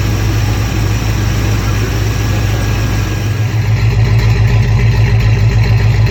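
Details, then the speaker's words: Freshly swapped V8 engine in a closed garage: deep, steady, throaty idle on the electric choke, expected to fall to about 800 rpm, with no tapping, knocking or misfire; runs healthy. "that's a high idle with the electric choke and she'll fall down to about 800 shut it off i got the garage door closed she runs good sounds good"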